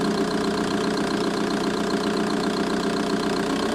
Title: Vw Bora 1.9 TDI ticking sound engine bay